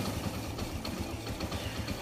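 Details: Kawasaki Bajaj CT100 single-cylinder after timing chain replacement: quick even idle, earlier internal grinding gone, no rattle from top end; quiet, healthy normal idle.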